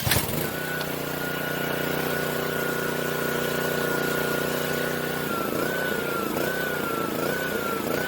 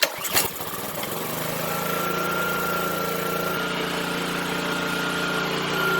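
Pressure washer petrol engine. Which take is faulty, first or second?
second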